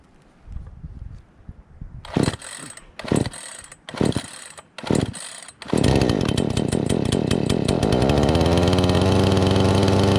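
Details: Brand-new Craftsman S205 chainsaw, primed, choke pulled out, first start from the box: a few sharp cord pulls, then it catches and settles into a steady, even high buzz with no misses; healthy new saw.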